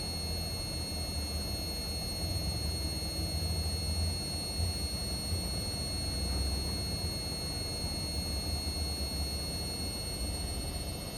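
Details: Indesit Innex XWSC61252 washing machine, brought in for not draining, on spin test after repair: even low drum rumble with smooth whir, no scraping, knocking or surging; spinning normally.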